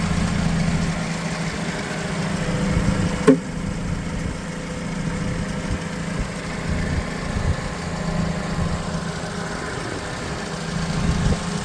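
A brief start, then an even, low-pitched idle that holds steady for ten seconds with no misses or knocks; engine sounds healthy.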